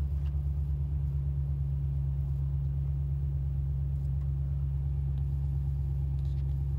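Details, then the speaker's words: 2017 RAM 5.7 Hemi V8, just after installing a Mopar cold air intake (77070023AD): deep, steady, even rumble at idle with nothing knocking or ticking. Sounds quiet and healthy, normal idle. "Sounds pretty quiet."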